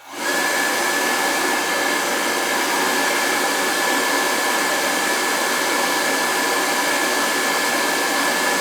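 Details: Riello oil burner on annual service, thermostat jumped: burner lights quickly into a steady, even roar with a faint constant whistle and no puffing or rumble; running cleanly.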